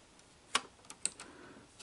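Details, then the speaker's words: Sony SL-HF500 Beta HiFi VCR: light, irregular dry clicks, about five in two seconds, from the loading gears as the arm is pushed, arm not moving freely; owner suspects a stripped loading gear with a sheared tooth. "it's actually sounds like it's um got a tooth that's sheared off or something so yeah this thing's got more than uh more than just electrical problems it's got a mechanical problem too"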